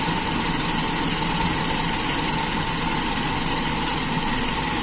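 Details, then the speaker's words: Carburetor with an extremely small idle jet fitted, idle mixture (air) screw opened almost 10 turns out: steady, fast idle with no misses or hunting; RPM set too high and the mixture too rich. "kita usahakan sekecil mungkin ya RPM Itu kelihatan ini terlalu kaya ini tadi sudah hampir 10 ya 10 putaran ke kiri"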